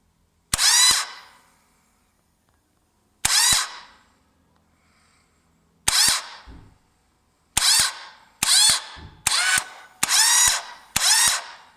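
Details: 1998 Yamaha Virago XV1100 with a good bendix, new idler gear and fully charged battery; several short, harsh metallic clattering bursts with no engine firing. Starter clatter; the engine won't start and the cause is unknown.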